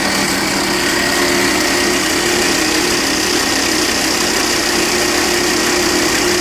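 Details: 2012 Volvo XC60 2.4 D5 AWD diesel idling with a steady metallic rattle and hiss from under the hood; the Volvo garage blamed the alternator, and inspection found a worn alternator pulley bearing.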